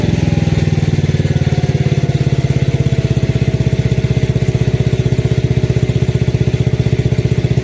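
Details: Lincoln Weldanpower AC/DC 225 welder, idle screws adjusted to cure occasional backfire when dropping to low idle: even, steady low thump about three beats a second with no pops or backfires; smooth, healthy low idle.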